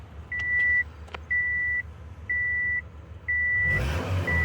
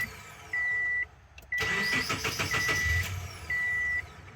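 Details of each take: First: 2008 Subaru Forester 2.5 after repairing a P0102 mass airflow sensor fault that caused stalling and rough running; MAF now reads voltage and responds to throttle: steady, even run under a one-per-second beep, smooth rev blip, no misfire. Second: 2008 Subaru Forester after P0102 repair, codes cleared: starter cranks about 1.5 seconds before catching, then revs sag low and lumpy; hard start with low-rpm bog, expected to be fixed by throttle body cleaning and idle relearn.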